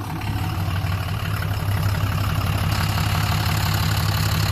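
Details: 2007 Dodge Ram 2500HD 6.7 Cummins, previously no crank/no start, running after original TIPM refitted: deep, even diesel rumble at steady idle with no misses or knocks; oxygen sensor, EGR and fuel rail pressure codes stored.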